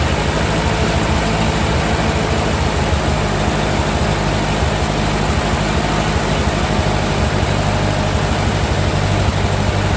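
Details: 1945 Ford 2N loader tractor after electrical rewiring, steady even low idle without stumbling or misses, about 10 oil pressure and charging; runs smoothly until it quits, possibly out of gas.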